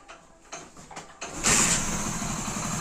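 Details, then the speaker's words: 2008 old carbureted Splendor motorcycle, after servicing for a crankshaft/connecting rod sound: a few cranking clicks, then it settles into a smooth, even idle with no knocking. The bottom end is now healthy. "இந்த 2008 model வண்டி பார்த்தீங்கன்னா ரொம்ப ரொம்ப ஸ்மூத்தா இருக்கும்"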